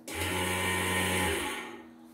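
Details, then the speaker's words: Chinese-style infrared-sensor bobbin winder in a function test before sale; switched on, steady low motor hum with a clean even whine, then winds down as it shuts off automatically when the bobbin is full; runs smoothly, unit OK. "Jadi cara hidupkan ini dan saat penuh spulnya dia mati."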